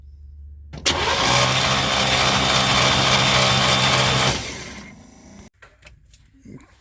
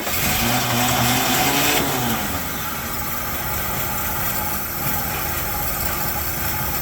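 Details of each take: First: Chevy C10 pickup, 350 V8, sat in barn 30 years, 29°F: starter spins steadily about three seconds but never fires; ignition points not opening, 12 V from coil, condenser suspected bad. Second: 1972 Chevy C10 with a 350 V8, sat in a barn 30 years, cold at 29°F, being warmed up: strong rev winds up and drops back to a clean even run, no misses, knocks or rattles; ran so good.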